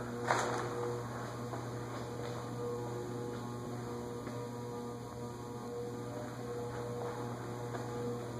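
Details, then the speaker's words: Lasko ceiling fan, believed 16-pole motor, at medium on a variable speed control: steady low electrical hum with a faint higher buzz; motor hum from speed control, worse than on the Emerson fans. "they I believe are 16 pole Motors and don't do well on variable speed controls"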